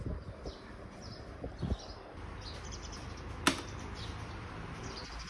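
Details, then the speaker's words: Electric fan after teardown, motor bearing lubrication and reassembly to cure loud noise and weak spin runs with a soft, steady air rush, no rattle or grinding; normal quiet running. "เปิดทดสอบดูครับเสียงก็จะหายไปนะครับเงียบ"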